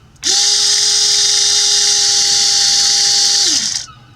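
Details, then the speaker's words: 1982 Triumph TR7 V8 4.6 L convertible washer pump, cleaned and bench-wired to positive and negative: smooth, steady electric hum spinning up quickly and winding down after about three seconds; washer pump running normally after repair. "And it's working."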